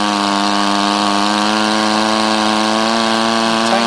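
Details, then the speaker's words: Rebuilt Powerwise ink pump air motor on air line, end cap just tightened to seal the end: strong, steady whine with no stumbles or hiss breaks, racing a little higher from gained compression. Good repair; normal running. "you can hear the motor racing a little bit higher because we've gained more compression the motor is running running real well"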